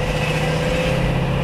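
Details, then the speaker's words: 1981 Chevrolet Suburban, 350 small-block V8 fitted with new AFR cylinder heads and camshaft; steady, even deep burble on the road with no miss, tick or knock, a little more aggressive but not too loud. "it does sound good i like the fact that it it sounds like a little more aggressive but it's not it's not like too loud you know"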